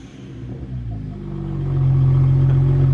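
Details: BMW 1M revving just after OEM downpipes were refitted to fix an exhaust that sounded bad at certain RPM: a smooth, deep rumble climbs steadily in pitch with no drone, rasp or rattle. The exhaust sounds healthy and much better than before.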